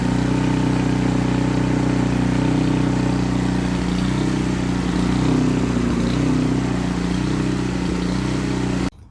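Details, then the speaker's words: Canadiana snowblower, Briggs & Stratton 800 series engine, choke on, fresh fuel, after an ultrasonic carburetor clean: note wavers up and down instead of holding steady revs; lean surging, confirmed by the spark plug. "it's running, and that's a good thing, I guess, but it's running very poorly. It surges up and down."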